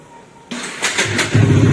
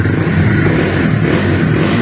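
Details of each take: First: Bajaj Dominar 400 in neutral, self-start: three harsh knocks while cranking near the magnet before the engine catches and settles, sometimes the starter spins free; starter one-way clutch failure. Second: Bajaj Dominar 400 after a bearing replacement, low on petrol: the single-cylinder engine starts on the first self-start press and revs cleanly with a crisp exhaust beat and no clatter; the earlier engine problem is gone. Normal start.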